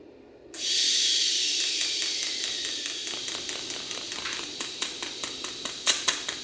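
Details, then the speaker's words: TIG arc-start test at 200 amps on 2% lanthanated (blue) tungsten: arc strikes to a steady hiss, then sputters early with irregular ticking, zipping pops and many misfires. "Oh, blue is off and running, but we had some sputters in the beginning there. And we got quite a few misfires."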